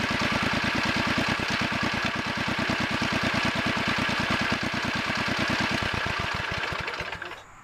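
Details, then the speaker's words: 1963 Wheel Horse 7763 twin 7 hp engines after adjusting both carburetors' main needles: even, steady firing with no puffing or misses, then slowing as the engine shuts down. "that sounds good now now the puffing noise is [Applause] gone"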